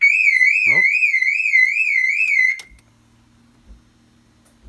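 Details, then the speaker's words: 2002 Mini Cooper S R53 1.6, driver's door locks but won't unlock by remote: loud warbling siren rises and falls then cuts off, alarm not disarmed; faulty door lock actuator suspected; fix is replacing the lock mechanism. "I'm pretty sure it is actuator because if you will hear in a second it does not deactivate the alarm as well"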